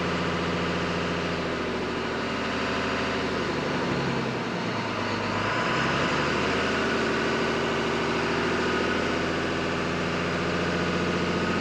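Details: 2001 Dodge Ram 1-ton Cummins diesel idling after a harmonic balancer replacement meant to cure a vibration at about 1800 rpm: a steady clatter with a slight dip midway. It has improved, but the owner still feels some vibration.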